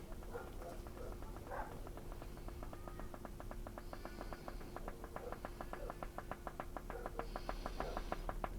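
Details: Briton-badged Philips valve radio on a dim bulb tester after some parts replaced: sharp, fairly regular clicking about three per second over a low steady hum; fault persists, suspected on the B plus line, filter caps next to check. Intermittent clicking.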